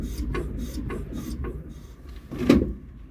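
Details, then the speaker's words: Jeep Gladiator Mojave rear shock after removal, cleaning and silicone spray lubrication: soft rhythmic swishing of oil through the shock as the truck rocks, with no squeak, unlike the untreated squeaking other side. "I hear the oil going through the shock, and I don't hear the squeak like it did on the other side."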